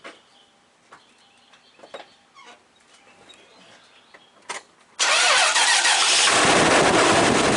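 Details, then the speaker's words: 2007 Toyota Sequoia 4.7L after an alternator replacement (the old unit whined, showed 500 mV ripple and failed): quiet clicks, catches at five seconds, even smooth run with no alternator whine; normal running. "not hearing that alternator whine like it was."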